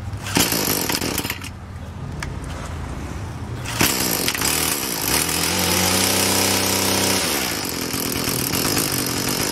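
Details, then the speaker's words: Craftsman Incredi-Pull 316.791810 two-stroke after carburetor rebuild kit and new gaskets and adjustment: a few pulls, then it catches into a steady buzzy idle, no throttle, no stumbling or surging. "So it took a little while, but I finally got it to go. Let's listen."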